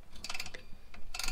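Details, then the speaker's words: 2009 Toyota Tacoma rear drum brake during replacement: quick bursts of light metallic clicks as the star wheel is turned with a screwdriver, the adjuster ratcheting to push the brake shoes outward; normal. "from the top like this you can hear it ratcheting and what that's doing is pushing the brake shoes outwards"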